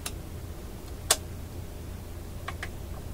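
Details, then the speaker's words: 1960s Symphonic model 962 automatic tube record player, after lubricating the mechanism and fixing a binding shaft: low steady hum with crisp mechanical clicks as the changer finishes its cycle and shuts off cleanly; mechanism working normally. "So we know the mechanism is working fine."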